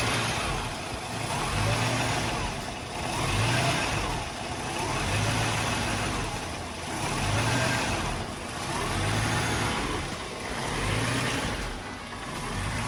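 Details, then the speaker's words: 1983 Mercedes-Benz W126 380SEC Euro spec, warm, in park: the idle rises and falls in a slow swell about every two seconds, hunting as if about to stall; it stalls at stops in drive too; cause unknown, OVP relay suspected. "Sometimes the needle will fluctuate up and down. It'll go up and down real fast. It'll act like it wants to die out. All right, guys, what causes this? It's surging."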